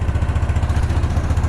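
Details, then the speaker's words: Case 444 tractor revived after sitting behind a barn, single cylinder, just started after clearing the shroud of mouse nests: steady low thump with even firing and no misses or knocks; clean healthy idle. "so i'm gonna let it sit here and run for a minute and try to figure out which uh wires the charging wire and hook it up and then we'll pump up the tires take your first spin"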